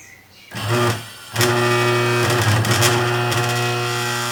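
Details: Consul/Brastemp washing machine electric motor tested via extension cord and capacitor: steady even low hum after a short start, no knocking or grinding; motor healthy.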